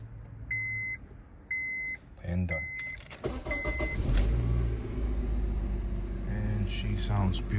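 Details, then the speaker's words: 2008 Honda CR-V after catalytic converter replacement and P0420 code cleared: starts after chimes and settles into smooth, even idle with no puffing or ticking, no exhaust leak. "beautiful. No exhaust leak."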